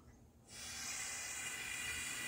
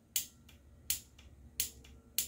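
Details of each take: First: EVAP purge valve for code P0442, bench test unpowered, should be normally closed; long cranking after refuelling flooded the engine: steady, sharp hiss of air for about three seconds blown straight through; valve stuck open. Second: EVAP purge valve removed and bench-tested on a small 12 V battery for code P0442: four crisp clicks as power is switched on and off, no sticking or buzzing; solenoid clicks normally, though it later proves stuck open.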